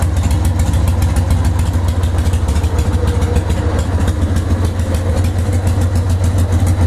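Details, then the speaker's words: Carbureted 1998 Harley-Davidson Sportster 883 after replacing the carburetor accelerator pump diaphragm to fix a gas leak when letting off the throttle: deep, loping V-twin idle with steady, even pulses and no misses or stumbles. Healthy. "Get it checked out, because the bike sounds fucking amazing."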